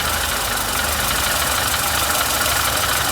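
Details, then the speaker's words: Renault Sandero with clutch noise and gears not engaging, after clutch repair and gearbox refit: steady idle with the clutch pedal pressed, release bearing now quiet with no squeal; noise stopped. "Vai lá, Henrique, pisa na embreagem. Ó, aqui a gente pode ver o acionamento. O ruído parou."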